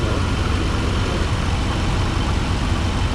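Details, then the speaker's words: 1993 GMC 1500 revived after sitting 10 years on a farm, just started, no temperature yet, oil pressure present, no black smoke: deep, low rumble, slow and slightly uneven at idle; still has a small stumble. "Like it still decidedly has a very small stumble to it."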